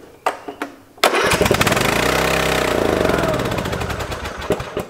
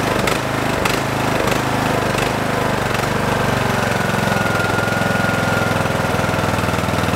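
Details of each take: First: Free Craftsman lawn tractor unused since 2017, after refilling with 90-octane ethanol-free gas; a couple of cranks then it roars flat out, very loud, no settling to idle, like a runaway diesel; gummed-up carburetor. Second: Craftsman lawn tractor, unused since 2017, after carburetor cleaning: steady, fairly even single-cylinder idle at lower speed with an occasional slight miss, which owner suspects may be a failing ignition coil; running much better.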